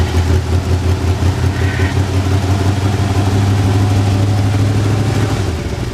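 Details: Squarebody truck that sat in a field about 10 years, first start after new fuel pump, fuel lines, spark plugs and plug wires: steady, deep, even idle holding speed with no stumbling or ticking; normal idle.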